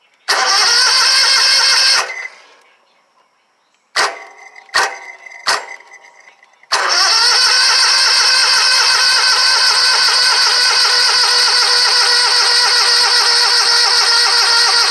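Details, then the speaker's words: Scag Tiger Cat II zero-turn mower, Kawasaki FX691V twin after valve-train repair, starting on choke: short bursts then hesitant sluggish cranks before catching and running; weak battery dragging the starter, needs charging. "We're going to have to charge that battery up, so stay tuned."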